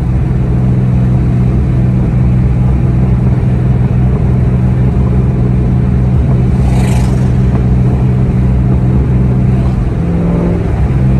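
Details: 2003-2004 Ford SVT Cobra T56 six-speed with aftermarket 26-spline input shaft: steady low engine drone while driving, even gearbox sound, no clunks or grinding, shifts fine; the input-shaft noise doesn't affect driving, normal operation.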